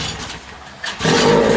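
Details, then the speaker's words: Vintage Mercury 9.8 hp model 110 outboard at first start after about 10 years on a shelf, with oil added beforehand: a short quiet spell, then a steady buzzing run with no clanking and good fire; normal running. "so it runs it didn't Clank like it wasn't supposed to has good fire"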